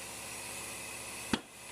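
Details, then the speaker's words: Tire on a center-post changer, bead seater used with full air for about 2 seconds then the top stage: steady air hiss, then a sharp pop as the bead snaps onto the rim. Two pops are expected before reinflating to 35 psi. "In fact, I would take my hands off at this point, and you want to listen for 2 popping sounds."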